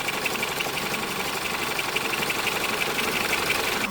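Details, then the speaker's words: Ex-police BMW G31 5 Series Touring, high mileage, first start after sitting, warming up near operating temperature: fast light ticking about three per second over the running engine, coming and going; owner suspects pulley bearings, source unconfirmed. "But I can constantly hear some tapping noises. Can you hear this now? But it's coming in and it's going out. Coming and going."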